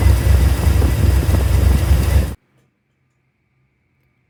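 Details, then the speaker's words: 2005 Chevrolet Silverado 6.0 V8 with MadMax cam and long tubes, after changing plugs and coils to cure misfires on cylinders 1, 4 and 8: deep, choppy cam lope, firing evenly on all cylinders with no dead miss; normal idle. "changed some plugs and changed out the coils, we are set."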